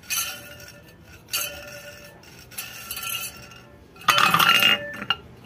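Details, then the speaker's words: Ceiling fan opened for repair and its bearing spun by hand: short bursts of tinny, clinking rattle from a dry, noisy bearing, later greased and serviced instead of replaced. "पूरा bearing का आवाज है दोस्तो bearing को खोल के देखेंगे क्या हुआ है"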